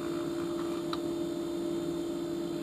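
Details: LG refrigerator compressor after fix: steady, even hum with no rattle or buzzing; the buzzing vibration came from a loose retainer clip on a compressor mount post, now seated tight.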